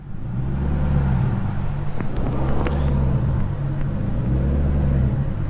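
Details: BMW E39 540i 4.4 V8 barely on throttle, throttle position around 2.35%: the deep rumble swells and sags about every two seconds, but holds steady near 2.75%. Owner suspects the pedal wiring, a vacuum leak or timing.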